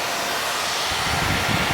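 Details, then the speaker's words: KTM dual sport motorcycle, newly installed switch-operated 2-wire 120mm PC case fan moving air through the radiator, heard from the other side. A steady, constant-pitch rush of air with no rubbing or ticking: the fan is running normally. "So I want to make sure that when I press this switch, that fan starts blowing, and as you can hear it, it's pushing a lot of air through there."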